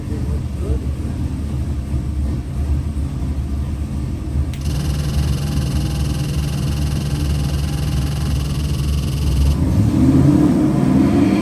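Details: Custom LS 441ci 700hp V8 for a 1969 Chevelle Malibu, re-sleeved Dart block, Eagle forged rotating assembly, Mahle forged pistons, Holley fuel system, fresh build on the dyno: deep even burble, rising slightly at the end, no misses or knocks; normal idle.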